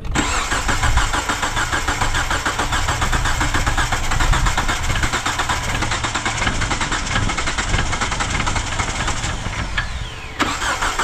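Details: 2009 Hyundai Accent crank-no-start with spark and fuel verified: a steady, fast cranking rhythm that never catches; the timing belt had jumped a couple of teeth (about ten degrees), and after readjustment it ran fine.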